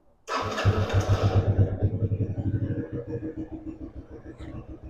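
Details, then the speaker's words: Yamaha Raptor 80 ATV after new key switch, carburetor, battery, petcock, fuel filter and fresh fuel: catches at once, settling into a steady, even putter around four beats a second; starts and idles cleanly. "And she's running."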